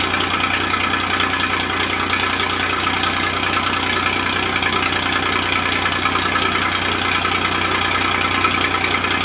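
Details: Massey Ferguson 2244 tractor, freshly rebuilt Perkins three-cylinder diesel, first start in five years, cold; even, steady clatter with no knocks or misses: normal diesel idle.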